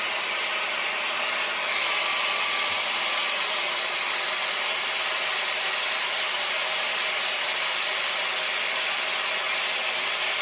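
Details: Bissell ProHeat 2X Revolution Pet Pro on wet setting cleaning upholstery with the attachment: steady high-pitched suction motor roar at even pitch, no surging or rattles, extracting dirty water; running normally.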